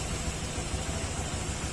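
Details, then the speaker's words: Honda Click 125 V3 scooter after engine work for noise: idles steadily with an even low putter, no knocking or hunting, normal idle. "Tapos pakiramdaman niyo yung andar ng motor dapat pipino Yung kanyang tunog yung wala yung tugtog tugtog gumagan"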